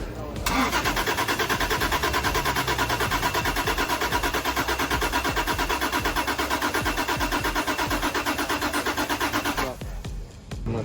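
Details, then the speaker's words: Toyota Prado on gas system, suspected gas solenoid or empty tank, solenoids powered by jump pack; about nine seconds of even, rhythmic cranking that never catches; cranks but won't start, lean backfire noted. "if we got the gas system working properly I would have assumed that's all it needs is for the to open but we also not sure if there's actually gas in there either"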